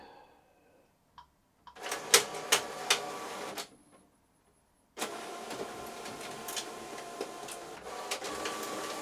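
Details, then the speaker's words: Epson EcoTank ET-16600 automatic document feeder, noisy and jamming on scan or copy: uneven rattling and grinding bursts as it drags the sheet through haltingly; ADF drive gear with missing teeth. "I don't know if you can hear that, but the document feeder has a fault on it, and basically it makes a grinding noise and it struggles to take the sheet through."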